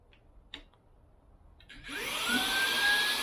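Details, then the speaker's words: DeWalt small belt-clip cordless vacuum: after some handling clicks the motor spins up to a steady high hum with no whistle this time. It runs normally with good suction. "it's not doing it right now. If you it's not really doing it here, which is nice. It's definitely got some good suction."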